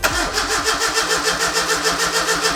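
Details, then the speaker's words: Miata drift car with turbo and supercharger, freshly rebuilt engine on first start attempt: steady starter cranking about five compression pulses a second, never catches; injector settings were way wrong after upgrading from 460cc to 640cc injectors. "so I do have some news the injector settings because we changed from the 460s to the 640s the injector settings were way wrong so there is a chance it'll fire up"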